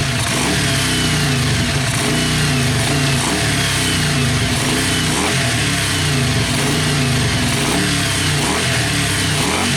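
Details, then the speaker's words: Yamaha Virago XV500 V-twin café racer with a newly mounted SU carburettor and ram pipe, mic near the ram pipe: loping idle rising into crisp revs with strong intake roar, smooth and even throughout; healthy. "Right, guys, I put you over here closer to the my ram pipe, so maybe you can the camera can pick up better the induction noise, because it's fucking orgasmic."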